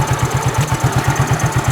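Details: Fuel-injected motorcycle that won't hold idle and won't rev, throttle body sensor being cleaned with carb cleaner drawn in by engine suction: single-cylinder idle thumps about six per second, slightly uneven and lumpy; unstable idle.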